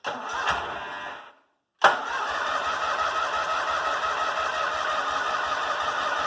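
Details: Kohler M18 on a 1990 Cub Cadet 1882, after new fuel filter, air filter, plugs, muffler repair and fresh fuel replacing stale watery gas: cranks, pauses, then fires and holds a fairly steady run with faint unevenness; starting improved from rough start.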